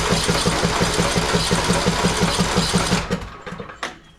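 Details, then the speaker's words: Husqvarna YTH18542 riding mower, Briggs & Stratton 18.5hp Intek single-cylinder, cold, oil low and black: starter cranks steadily about three turns a second for three seconds, never fires; crank no-start. "ine will spin over it just won't crank it'll crank over it won't start"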